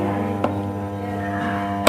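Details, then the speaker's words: Crompton High Flo table fan on first speed: low steady electrical hum with two brief clicks and no blade whoosh; motor energised but not spinning, only slow noisy turning at second speed. "First speed on பண்ணனும். ஃேன் ஓடல. Sound மட்டும் வருது."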